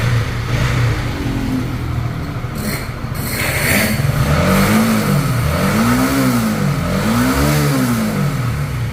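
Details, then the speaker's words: Honda CB150R after overhaul for klotok top-end noise from a loose cam chain tensioner, with an Ataka head and adjustable RRA fitted: even idle, then clean throttle blips with no knocking or tapping; idle and throttle both smooth. "Vậy là chúng ta sẽ nghe thử tiếng động. Để chắc chắn nhé. Được rồi, tiếng động ở đây êm ru. Bướm ga cũng êm ru."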